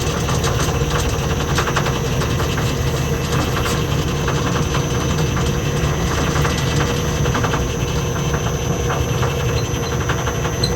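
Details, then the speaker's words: Lathe three-phase motor on a single- to three-phase VFD, basic settings, belt just reinstalled, speed control lever being worked: constant loud rumble with rattly clatter at steady speed; kind of noisy, cause unconfirmed. "so what I'm doing here I know it's kind of noisy there's a [Music] uh speed control lever here"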